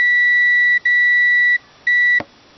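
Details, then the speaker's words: Digital multimeter on continuity setting, probes across a fuse: clean high steady beep each time probes touch, stopping when lifted; continuity present, fuse good, not blown. "and you can hear it beeping that tells you there's continuity there so the fuse is not blown the fact fuse is good that shows a good fuse"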